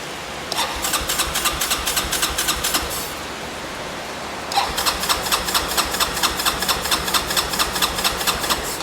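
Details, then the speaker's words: Broken Yamaha four-wheeler, on a jump box with fuel turned to reserve: two bursts of quick, even cranking, about two turns a second, with no catch; owner suspects no fuel is reaching the carb; cranks but will not start. "I wonder if we're even getting fuel to the carb."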